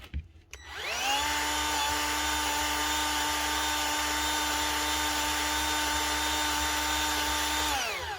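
Motor spins up quickly to a steady, even whine, holds smooth for about seven seconds, then winds down; sounds healthy.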